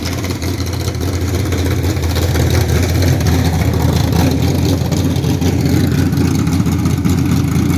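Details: 1969 Camaro V8 with old eBay heads, raised runners, Holley Street Dominator, 600cfm Holley, 12-601-4 cam kit, full-length stainless headers, idling: lumpy idle with a loose irregular patter over the rumble; abnormal noise, cause unclear.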